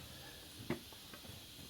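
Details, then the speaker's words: 1961 Harley XLCH Sportster transmission cover shaft rocked by hand gives light metallic clicks, showing worn bushings with excess clearance that cause gear noise; bushings to be replaced. "when you push straight down and go side to side and get a clicking noise"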